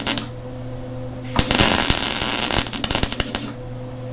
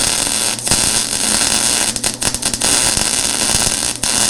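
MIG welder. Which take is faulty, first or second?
first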